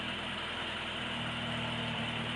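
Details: 1976 Alfa Romeo Spider with twin carburetors, cold start on full choke: a steady, even idle held slightly high with no misses or knocks as the cold engine warms normally.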